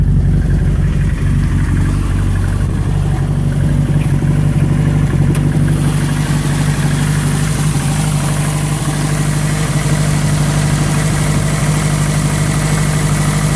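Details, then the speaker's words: Cold start on an engine whose pistons were forced on with a hammer, twin-plate clutch out: loud, busy idle with constant metallic bottom-end clatter, quieter after about 5 minutes as parts expand; owner suspects tight piston-to-wrist-pin clearance. "Doesn't sound great. It gets a lot quieter actually after about 5 minutes. Things start to expand."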